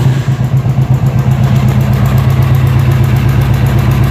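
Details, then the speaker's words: Royal Enfield BS4 EFI at idle: quick, regular tick, about four a second, that sounds like tappet noise. It actually comes from the charcoal canister (purge) near the battery, a problem said to occur only on BS4 models. "तो यह दरअसल टपट नॉज है ही नहीं यह नॉज आ रही है यहां से चारकोल कनिस्ट से"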